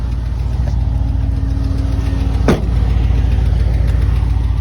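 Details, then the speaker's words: Warm V8 (6.0) idling, oil temperature about 40, coolant near 215 with both fans on, Hush Thrush mufflers: light, fast, regular lifter tick over the exhaust rumble. "uh I got a lifter tick you'll hear it when I walk around but I do have a lifter tick"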